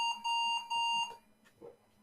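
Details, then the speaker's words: Computer, pressing F10 to enter BIOS setup for a reset: two clear mid-pitched beeps about half a second each, then quiet; unexplained double beep at BIOS entry. "Well, that's an interesting. What was that beep about? Twice."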